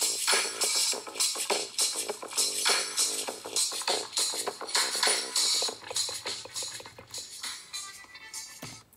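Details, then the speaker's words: Mid-2009 MacBook Pro playing music through its built-in speakers: thin, buzzy sound with a rattle because one speaker is partially blown. "It rattles because one of the speakers is partially blown up, which kind of sucks, but..."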